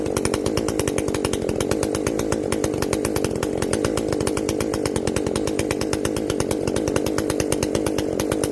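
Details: Echo CS-590 chainsaw after carb limiter removal and opened-up exhaust, high jet turned up a full turn plus low jet richened: crisp, even high-revving buzz holding steady through the cut, no bogging or four-stroking; runs clean, not running hot.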